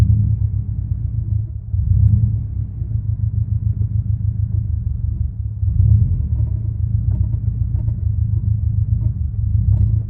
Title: Clutch rattle noise